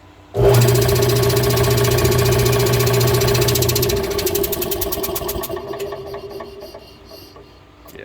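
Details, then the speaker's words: Air compressor (oil-bath crankcase), long slower to build pressure, now running with a light, hollow steady chugging at about four beats a second and little strain, then spinning down; only a trickle of air comes out, so the pump isn't building pressure. "as it turns listen to it you'll hear it really makes like it's not not making much of a compression at all"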